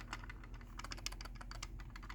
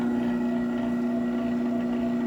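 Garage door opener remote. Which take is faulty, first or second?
first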